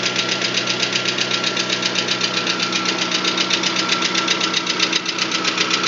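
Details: VAZ 21124 engine at idle: fast, even, crisp metallic light knocking about four per second over the idle; knock source not pinned down, cause unconfirmed.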